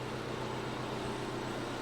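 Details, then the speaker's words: Wrecked 2015–2018 Audi A6 C7.5 diesel, first run after replacing pyro fuse, radiators suspected damaged with apparently no coolant so run briefly: steady even diesel idle, smooth low rumble, no knocks or misses; sounds healthy. "so far she sounds good happy days so I've not bought a paper we this car now runs"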